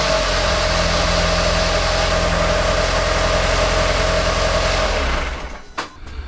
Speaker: well the good news is she fired up and that's great to see uh the bad news and it's not really bad news but it was running a little rough a little lumpy like he was misfiring on one